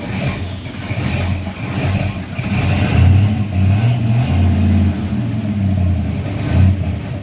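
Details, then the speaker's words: Freshly built 350 Chevy V8 during break-in, after tightening the valve covers to stop leaking: deep burble rising and falling through a few throttle blips, no knocks or rattles; healthy. "I ran up some more uh all I did was tighten down the valve covers a little bit more and stop the leaking so that's good and uh yeah you want to hear it run sure you do"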